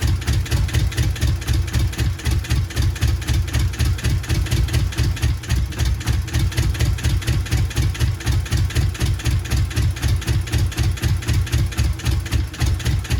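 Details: Subaru GC8 with EJ207 STi shortblock, first start after fitting injectors: uneven, loping dum-dum idle about four pulses a second; one bank of the boxer has never fired, plugs pulled on that side, ECU log shows no vacuum.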